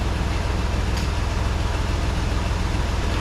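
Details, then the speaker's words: 1988 Toyota FJ62 Land Cruiser, about 290K miles, warm idle after distributor timing set with timing light, temperature gauge just below middle (~190°F): even, steady rumble, no misses or hunting; idle slightly high. "let me see what the idle is at idle's a little high so I'm going to run that down a little bit"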